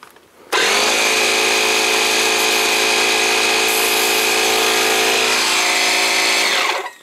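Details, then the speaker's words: Small direct-drive air compressor switched on: starts abruptly into a loud, steady buzzing drone with a bright hiss and runs evenly; it works fine but is far too noisy. "just too noisy but uh I'm thinking with the other one running it just go like boom bo boom boom boom B Bo wouldn't be so bad right"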